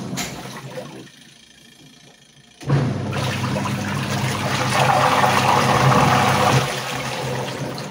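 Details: Sharp EST75MW twin-tub washing machine, final test after repair of a wash pulsator that would not turn, caused by the gearbox rather than the motor: motor kicks in to a steady hum with water churning evenly; pulsator runs smoothly without grinding.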